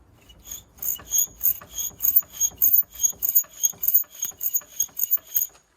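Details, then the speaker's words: Ford Focus with brake pads worn to nothing, squeaking on both sides for a long time, pads and discs due for replacement: sharp high-pitched squeaks repeating with each wheel turn, about 100 a minute. Worn brake pad squeak. "so that has been squeaking for a long time um on both sides so i spoke to the owner and he said look do the pads do the discs on both sides"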